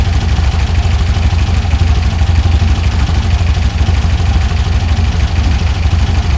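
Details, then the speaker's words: 1967 VW Beetle with newly installed dual EMPI carbs, after turning idle screw up a full turn, before syncing: deep, even putter at steady idle, no misses, knocks or hunting; engine quiet and running cleanly. "There it is. Right off the bat, sounds good. That engine's quiet too."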